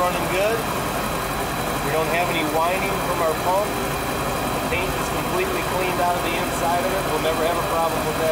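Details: Volvo Penta boat engine idling after a refurbished fuel pump was installed and primed: steady, even note with no fuel pump whine; running well.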